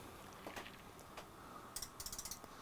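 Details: DSO 8104A oscilloscope running on a donor power supply, booting Windows XP: a short run of sharp, fast, evenly spaced ticks from the supply while powered; cause of the clicking unconfirmed.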